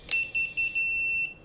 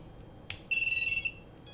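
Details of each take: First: now motors are done everything's done and you'll hear it beeping right Second: the quad is armed okay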